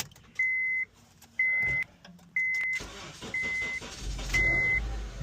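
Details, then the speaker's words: 2010 Honda Civic with a no-crank no-start complaint after a battery replacement, on a jump pack at 11.7 V: steady beeps about once a second, then a short crank and the engine catches at once and runs evenly; likely a dead battery. "Oh, the vehicle started right up. Huh. I wonder if it was just a dead battery that the customer was experiencing."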